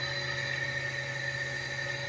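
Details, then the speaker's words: Carrier EcoBlue ECM axial fan motor (460 V) driven experimentally from a VFD at about 60 Hz: steady, even hum with constant high whine, no knocking, wobble or rubbing; runs smooth after losing sync at lower frequencies. "Oh, that's actually got smooth there at 60."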